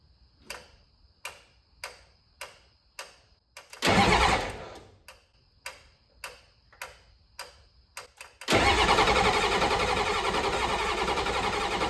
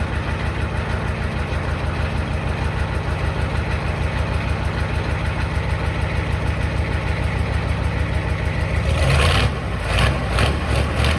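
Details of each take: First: 7.3L IDI diesel just swapped into a 1986 Ford F150, first start attempt with new glow plugs and good wiring: sharp glow plug relay clicks about every 0.6 seconds, then long cranking that never catches; relay controller believed faulty. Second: 1986 Ford F150 XLT with a swapped 7.3L IDI diesel and temporary straight pipe, first start after the swap: steady, even diesel clatter with a firm low rumble and no misses or knocks; idling smoothly.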